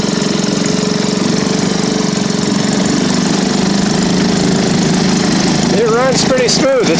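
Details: Circa late-1940s–1955 Elgin 2.5 hp single-cylinder outboard, test-run in a barrel after fixing no-spark by resetting points to .016, carburetor cleaned, choke applied: even steady putter with no misses or stumbles; running smoothly.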